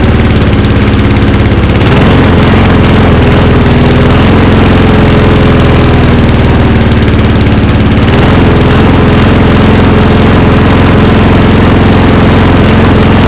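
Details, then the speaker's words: Walk-behind lawnmower, 2025 startup: single-cylinder engine speed rises and falls every few seconds; surging because a broken choke lever leaves the choke loose and vibrating back, otherwise runs fine. "So you can hear it runs good, but the reason it's surging is because the lever up here is broken. So as a result, the choke's kind of loose, so it's vibrating itself back."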